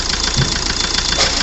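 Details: 2009 Hyundai i20 diesel with late starting: loud, sharp knocking at idle, about ten hits a second over the diesel clatter; the knock was traced to one cylinder (likely number four) and fixed by a full engine overhaul with retiming.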